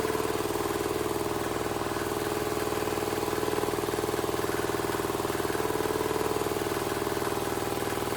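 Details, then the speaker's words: Wheel Horse 314H tractor swapped to a cheap Chinese single-cylinder diesel, on its first successful start after a no-start diagnosis and fuel priming: even thump at about four beats a second with no misfires. Running well. "I I hell yeah man has this thing been a struggle I'm so glad to hear that thing run"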